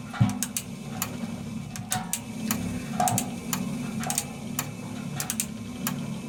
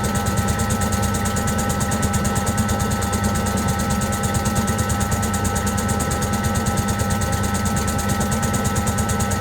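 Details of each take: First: Servis (Eudora) 386 compact 3kg washing machine: sharp dry clicks at irregular intervals over a low motor hum as the mechanical timer cog ratchets normally; on spin it clicks ten times faster. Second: Servis (Eudora) 386 compact 3kg washing machine: steady low thumping about three times a second with a faint motor tick as the out-of-balance drum struggles to spin; it took long to balance and spun only briefly.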